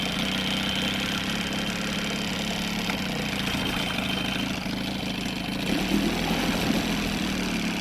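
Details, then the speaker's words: Outboard on a free boat runs a steady idle on choke with no bogging; with the choke off a sucking sound is heard and a vacuum leak is suspected; idle mixture screw set several turns richer, very narrow idle band. "Fantastic with the choke on. Take the choke off. Oh, you can hear it sucking in there now. You can hear that vacuum leak."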